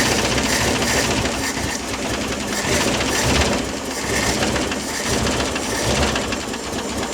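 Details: Old Ford 260 V8 in a Mercury, first start after new lifters and rocker adjustment, distributor thought off a tooth: uneven, lumpy running with irregular beat under busy clatter; rough running, suspected wrong ignition timing, not confirmed.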